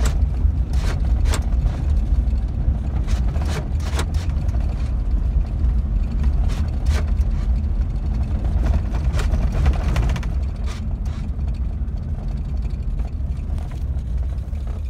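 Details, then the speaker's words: GM truck (Chevy Silverado/GMC Sierra type) with reduced engine power and service brake light, losing power to 5 mph: low engine drone runs roughly, sags, then cuts out; the cause was a broken engine ground wire. "the customer said he was having a uh issue with reduced engine power showing up on the dash and then the vehicle would lose power it'd go five miles an hour"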